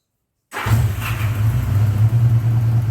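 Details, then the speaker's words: 1979 Honda GL1000 Gold Wing, just after valve seal replacement to cure excessive smoking, started cold with no choke: fires straight away and settles into a steady, even low burble with no misses or stumbles. Normal cold start. "better than I expected nice nice"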